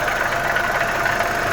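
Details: Audi 1.8 turbo idling: light, quick ticking over a steady idle, unchanging; top-end tick of unknown cause. Owner unsure, mentions possible oil issue and a faulty PCV part leaking air and oil.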